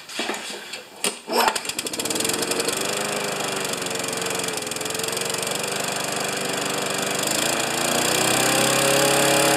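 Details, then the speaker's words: Craftsman mower, 6.5 HP Tecumseh engine, throttle had been stuck wide open; misses and struggles to stay running at a high, slightly uneven pace, then settles toward mid throttle. Primer bulb feels inconsistent. Rough running. "it misses it was wide open throttle that's probably wide open and then then it settles down to somewhere in the whoops somewhere in the middle like that"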